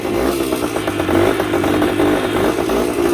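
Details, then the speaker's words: Yamaha 125 enduro two-stroke with a fresh spark plug and fresh gas runs again after a little choke: a crisp, uneven crackle with throttle blips, revving freely and picking up cleanly. Normal running. "Ain't nothing sounds like a two-stroke neither."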